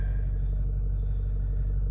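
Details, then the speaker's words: 2008 Ford F450 6.4 Power Stroke diesel with an intermittent starting and throttle-response problem: on this start, deep steady idle rumble with no stumble or knock; a normal start. "okay this seems to be a normal start"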